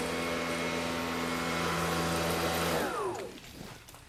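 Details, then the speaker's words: Greenworks brushless electric pressure washer under test, about 1.7 GPM flow: a steady smooth motor whine with an even hum, then a clean spin-down as it stops, sounding like a Tesla backing up; normal running. "love that sounds a little it sounds like my tesla backing up"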